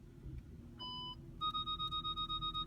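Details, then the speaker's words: 2006 Audi A8, after replacing a bad front parking sensor, car started and put in reverse to test: start-up chime, then steady evenly spaced high beeps about five per second; the parking sensors now work. "there they are they work so that's how you change a parking sensor on an Audi A8 for $17 and about an hour of headache"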